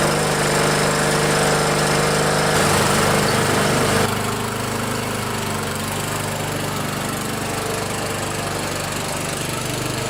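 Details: Old Montgomery Ward MTD riding mower after a weld repair of the worn blade engagement lever bracket that kept the safety switch from engaging: quick, even thumping at about 3.5 beats a second. Now starts and runs cleanly.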